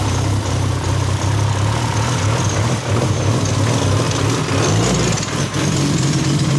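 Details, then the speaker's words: Nissan R34 GTR after reassembly with idle screw set: deep steady idle with slightly uneven lumpy beat, quiet exhaust, healthy. Lopey cam-style idle. "It's actually really quiet. It's not that loud. Dang, dude, this thing's got a lope."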